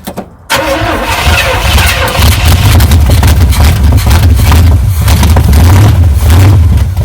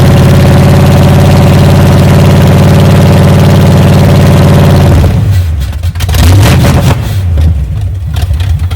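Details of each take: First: 1978 Chevy K10 truck engine started after sitting 27 years, with a strong oil-in-fuel mixture; silence, a sudden catch, then a loud uneven low rumble settling into a rough idle: engine starts and runs after long storage. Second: 1978 Chevy K10 V8, first start after sitting 27 years, fed from a fuel jug with two-cycle gas poured down the carburetor: runs steady and even at low idle with no knocks or misses, charging and oil pressure showing, then cuts out when it runs out of fuel.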